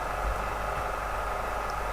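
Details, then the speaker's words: RX02 floppy drive from a PDP-11/34A, first power-up with the PDP ribbon cable disconnected: steady hum of the spinning drive motor, head load solenoids engage, but no seek or head movement; heads not initializing. "but nothing seems to have moved, so they don't appear to have initialized. I can hear the motor spinning."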